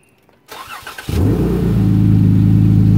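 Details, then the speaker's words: VVT engine fitted with an oil catch can, after the breather on top of the can is plugged: the starter catches and it settles into a steady, even idle. The earlier whistle from the PCV vacuum venting through the breather is gone. "all right so it's not whistling anymore challengers can't use a breather boys"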